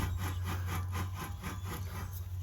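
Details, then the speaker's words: Rear wheel bearing from a 2018 Nissan Altima turning; a dry, gritty rasp pulsing about five times a second: a worn, rough bearing that was replaced. "I could tell when turning it by hand that it did have a little bit of drag to it"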